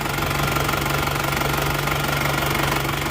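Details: Isuzu Panther 2.5 diesel whose owner wanted an engine overhaul for weak power: steady, even diesel clatter at idle with a constant hum and little smoke, judged normal; compression later proves good.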